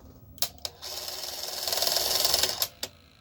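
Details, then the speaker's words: 1984 Sanyo Beta VCR model VCR 3: pressing play, fast forward or rewind gives two clicks, a thin whir of about two seconds and more clicks with no tape transport; owner suspects a worn idler. "It seems to be spooling the tape back, so it's capable of spinning this side. But when I try any of the play, fast forward, rewind, it just sort of clicks, and then that's it."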